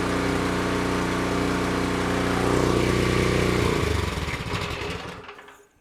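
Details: Cub Cadet 3224 3200 psi pressure washer small single-cylinder engine after carburetor cleaning, full choke, throttle wide open: steady, even high-speed chatter with no misses or surging, then cuts off cleanly; healthy running.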